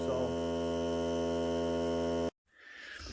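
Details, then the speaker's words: New Hart cordless battery air compressor on a full battery, break-in run of 30 minutes or until the battery dies (lasted about 45 minutes): steady, even motor hum at constant pitch, no knocks or rattles, until it cuts off, fairly quiet; normal running. "So here we go. See how loud it is. Not bad. You can hear me talking."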